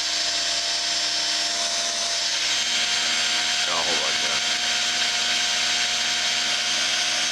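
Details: Work Sharp knife sharpener after epoxy repair of the broken plastic idler wheel: a steady, even high-pitched motor whir that holds its pitch with no grinding or catching; running smoothly.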